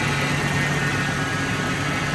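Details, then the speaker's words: Totaled 2006 Ford F-350 V10, about 5,800 original miles, just after first start following rebuild: smooth even low hum, no knocks, ticks or stumbles, steady throughout, coolant temperature fine, quiet; normal idle. "That's pretty awesome. Water's still fine. I just don't want that tight yet. It's quiet."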